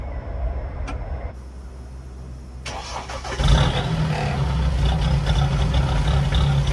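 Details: Mahindra Roxor diesel, cold start near freezing: quiet fuel pump priming, then a brief crank and it catches in about a second with smoke, settling into a steady low idle; clean cold start.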